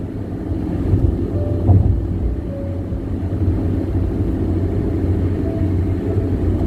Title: Loud tire noise ? #Bandung-Jakarta toll road